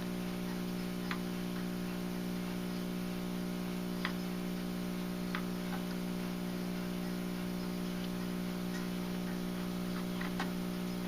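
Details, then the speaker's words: National NC-60 Special AA5 valve radio, first power-up on variac around 102–103 V at 0.2 A: only a loud steady hum with no station audio; failed filter capacitor, needing replacement. "all right so we're getting nothing but home so it's definitely a filter cap gonna have to be replaced here before we're gonna get anything i think"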